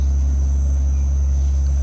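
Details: Steady deep hum droning from a sedan at low speed just after pulling away, from a badly worn rear wheel bearing, worse after frequent out-of-town driving; sounds like cargo moving in the boot, and a leaf spring is also damaged.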